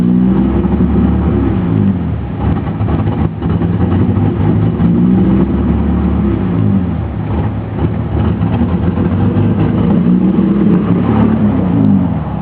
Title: E30 Rough Idle 2